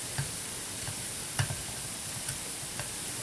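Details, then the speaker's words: Silver-plated Teflon-coated POE vortex coil, Tesla-style SPTC, running: constant fizzing hiss with irregular sharp snaps about once a second, high-voltage arcing generating ozone. "there goes the ozone generating again"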